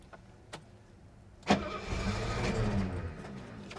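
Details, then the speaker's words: 1972 Mercedes 250 at auction, fuel pump primed first: a couple of slow cranks, then it fires and runs roughly about two seconds before fading; hard start, catches briefly then dies. "3 two 1 she's alive oh she tried she tried to start come on baby you can do it"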